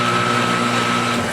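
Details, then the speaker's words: Ridgid R4512 table saw motor, about a year old, with the blade and arbor pulley removed, starts rough and then trips the breaker. Capacitors tested fine. A hard humming drone with a thin whine and no clean spin-up; owner suspects the centrifugal switch. "starts real rough and then it trips a breaker so in here we have the motor"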